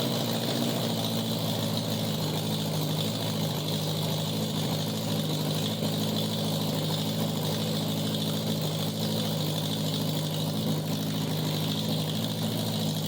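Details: 1987 Honda Gold Wing GL1200 with electrical issues: intermittent cranking, exhaust backfire at key-off; carburetors semi good. Loud open-exhaust idle with a slightly uneven, wavering beat and no steady rhythm; rough running, cause unconfirmed.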